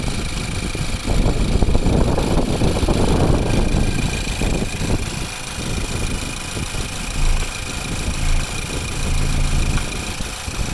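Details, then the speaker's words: 2015 Ford Focus GDI engine, no check engine lights, no oil burning, idling with oil filler cap removed: uneven muffled idle with fast injector ticking and air noise at the open filler; normal idle and blow-by. "It's a GDI engine. It sounds like a normal Focus GDI engine. They have that injector noise."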